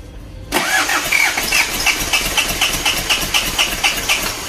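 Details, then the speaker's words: Isuzu Panther 2.3 diesel cranking before engine removal: even chug about four beats a second but never fires; liners suspected seized, likely after running out of coolant, with blown head gasket letting compression into radiator. "ini berarti sudah positif ini mungkin linernya sudah macet dan ini mungkin dulu kehabisan air"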